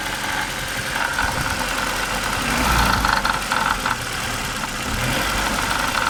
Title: Стук в двигателе audi 80 ABT 2.0